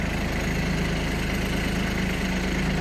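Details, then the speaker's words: Kubota Aste A-13 mini tractor diesel with 756 engine hours, started after the glow plug light went out: steady low diesel clatter at an even idle, no misses or knocks; starts perfectly and runs healthy. "Ждём, пока погаснет лампочка накаливания свечей, и заводим. Трактор заводится идеально."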